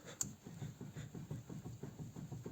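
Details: Daewoo Lanos rear right wheel rocked by hand: soft, dull knocks about four or five a second from play in the rear hub bearing.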